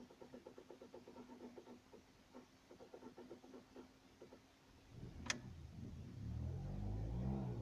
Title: BMW E46 N42 wont start 3